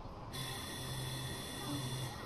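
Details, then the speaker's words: Suguna 0.5 hp monoblock high-speed motor SPM50, after repairing a broken capacitor wire (would not run): steady hum with constant high whine and even rush, no knocks or rough pulsing; runs smoothly. "చూసారు కదా ఎంత స్మూత్గా run అవుతుంది motor."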